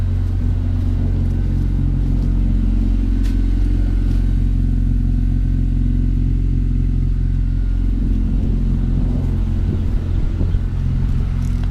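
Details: 9th-gen Honda Civic Si with a Hasport 70A rear motor mount, idling on a hot day before driving; deep, even idle with a steady exhaust note and no knocks or rattles, healthy.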